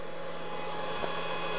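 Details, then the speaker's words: Stock converted HP server power supply powering an RC charger, recorded on camera microphone: steady rushing airflow with constant faint whine, no surging or rattling; loud but not extreme, normal fan noise. "You know, it's actually loud, but not, how do I say this? It's not like, you know, mind-numbingly loud, but, you know, it's definitely got a whine to it."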